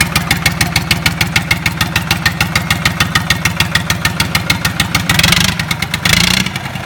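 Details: Lister Petter SR3 air-cooled diesel after rebuild: crisp, even diesel clatter at a steady beat with two brief bursts of throttle; firing regular and healthy.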